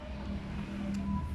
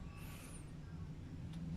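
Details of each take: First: Freezer compressor that clicked on and off, ran hot and wouldn't cool, now started with a direct three-wire hookup and drawing about 1.4 A: steady low hum with no clicking or cutting out; compressor running normally. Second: Refrigerator/freezer compressor seized: on power-up it draws 8.4 A and hums without starting, then the overload trips with a click (cetik), repeating; compressor runs hot and fridge doesn't cool.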